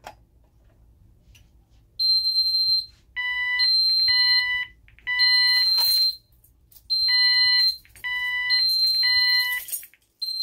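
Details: Ademco 6137R alarm keypad, fire zone 01 in alarm: repeated high electronic beeps about a second long with short gaps, no three-pulse temporal pattern, just a longer beep before showing bell failure.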